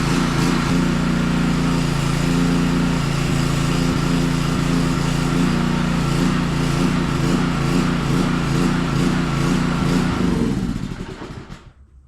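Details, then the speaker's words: Power washer small engine run after carburetor cleaning: pulses unevenly about three to four surges a second, then dies; carburetor still partly clogged, needs cleaning better. "so it still needs cleaned a little bit better. Alright, this needs cleaned better."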